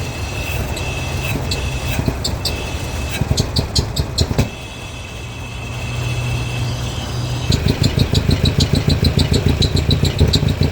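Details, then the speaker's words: Mercedes W123 with a swapped-in 2.3 engine from a 124 or 190 and K-Jetronic injection: idle surges and dips unevenly, dying back between throttle blips; throttle response worsening, owner says it improves warm then stalls; cause unknown. "Сейчас он ещё хуже стал реагировать почему-то. Не понимаю. Прогреется, станет получше, но потом вообще заглохнет. Сейчас вообще перестаёт на газ резить."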